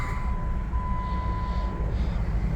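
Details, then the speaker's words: 2015 Jeep Wrangler Unlimited Sport, 97k miles, 3.6L DOHC Pentastar V6, 6-speed manual, new battery, fully serviced, right after start-up with no warning lights: a steady, even low rumble with no knocks, misses or surges, a normal smooth idle. "There it is, nice and smooth."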